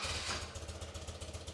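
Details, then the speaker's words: BMW R65 boxer twin, just started after deleting the secondary air emission system and fitting a new air filter: lumpy, pulsing idle around 900 rpm with uneven cylinder beats; carburetors out of sync, vacuum reading 50 left versus 61 right. "It does start up and run nice, but I can definitely tell that uh it's not tuned properly."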